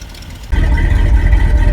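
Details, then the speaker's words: 1974 Ford F-350 crushed by a fallen tree, restarted: big engine catches and settles into a steady even idle with good oil pressure; exhaust leak where the pipe joins the manifold, accelerator pump leaking. "still sounds good [Music] too and still has good oil pressure idling"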